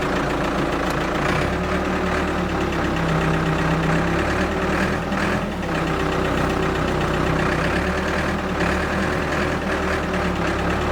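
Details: Abandoned Ford 655A backhoe diesel after revival, hydraulics working with power: steady even clatter holding speed, no knocks or misses; engine sounds good, blow-by basically none, healthy.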